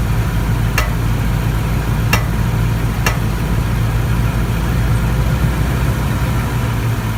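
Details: 2014 Toyota Tundra, driver's side: steady idle with three sharp, irregular pops in the first few seconds, intermittent popping at idle, cause not yet pinned down.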